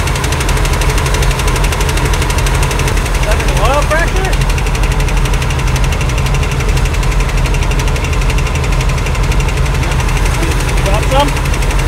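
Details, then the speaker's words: 1979 Ford E350 Scamper motorhome with a 460 big-block, first start after sitting, new battery, leaking carburetor, oil pressure present. Rapid, even ticking over a rough idle, likely valvetrain noise that may quiet down. Valvetrain ticking at idle. "all right we're just going to a lot of valr noise hopefully that quies down in a minute"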